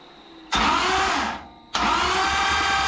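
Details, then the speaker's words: Engine on run stand after starter and wiring/ground fixes, only assembly lube in it, no oil yet: two bursts of steady, even starter cranking with no grinding, engine turns over freely, starter healthy. "sweet see it's turning over here"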